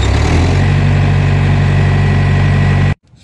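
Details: Thermo King trailer reefer (frigo) unit diesel settles into a steady, even low rumble for a few seconds before shutting off; smooth normal idle, nothing abnormal heard.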